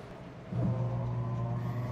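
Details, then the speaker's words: Samsung 7.5 kg automatic washing machine after its power supply board (burnt IC, no power) was replaced, on a spin-dry test with little water in: a smooth, steady low hum with no knocking, spinning normally. "Actually kating-kati lang yung tubig na pumasok so ikot siya ng spin dry mamaya yan spin d na siya"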